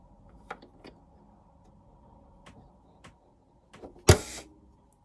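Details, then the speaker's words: Elna overlocker air threader threading the lower looper with power off, presser foot raised, set to threading position; after light clicks a sharp one-second whoosh of air pushes the thread through the looper eye, working normally. "now did you hear that air gust of air so there we have it that thread has been pushed through the eye there of that lower looper it's amazing"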